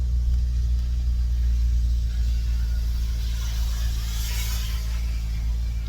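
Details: 2016 Hyundai Elantra GT 6-speed manual, engine revved to about 2000 rpm, quiet at idle, history of dark cylinder plugs: deep heavy rumble with uneven low knock underneath; rod knock, bottom end to be inspected.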